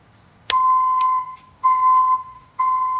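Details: ECCO 530 backup alarm newly installed at the rear of a Chevy Silverado pickup: three loud steady high beeps about a second apart, commercial-sounding; reverse alarm working normally.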